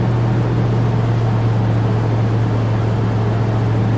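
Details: 10th-generation Ford F150 with newly installed engine, running after first start and break-in, oil pressure good, warmed to temperature: smooth even low hum, steady pitch, no knocks or ticks; normal running.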